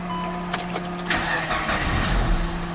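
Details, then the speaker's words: 2003 Mitsubishi Lancer 4G18, stalled on highway, crank no start, no DTC, no spark: starter cranks, engine catches briefly with rough burst then dies and won't restart. "oh so you heard that a crank started and then shut off so now it won't start again"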